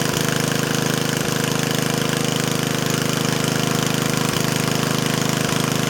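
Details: Yardman Snowbird snowblower small engine running at steady speed with a fast, very even putter and no misses or surging; it sounds excellent and barely smokes, running normally.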